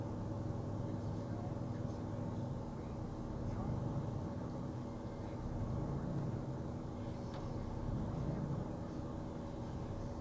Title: Rough idle